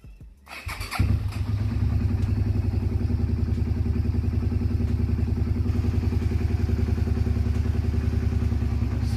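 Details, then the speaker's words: Twin-cylinder cruiser motorcycle just after spark plug change, air filter clean: starts into lopsided stumbling beat about three pulses a second, one cylinder not firing. "that doesn't sound like normal hmm what am I missing what am I missing all right so I'm soon trying to figure this out thinking thinking why is it not running right"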